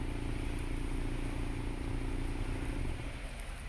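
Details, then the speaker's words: 2018 Mazda 3, after installing an iDatastart remote starter: engine started by remote, smooth even idle for about three seconds, then held button three seconds and it winds down quietly; healthy idle and clean remote shutdown. "and it will start the car starting so yeah it's successful and the same thing we press it for three seconds it will turn off"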